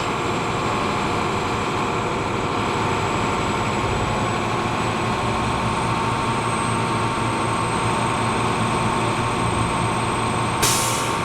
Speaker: Every time you charge the system, always charge it until you hear the air governor. It makes that sneeze song, like a sneeze sound, like a